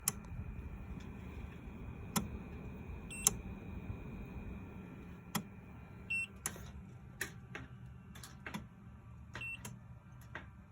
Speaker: clicking sound and the beeping.